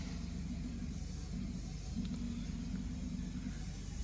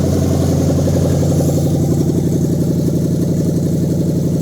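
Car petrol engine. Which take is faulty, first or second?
first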